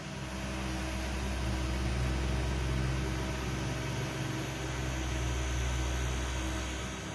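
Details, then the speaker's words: Engine off on a 1995 Daihatsu Zebra Espass 1300cc, after temperature rose and idle reached 1000 rpm: a soft steady low hum from the small accessory fan tucked between the tissue holder and double blower; normal fan hum. "jika teman-teman tadi mendengar suara dengungan ini suaranya dari sini nih kipas kpasnya saya taruh atas teman-teman"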